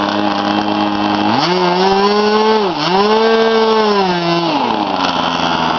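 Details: K&B 20 RC glow engine, flip-started at about quarter throttle: a high, sharp buzz that rises smoothly with throttle, dips briefly and settles; no fuel around the head, only some from the carburetor, as expected; normal running.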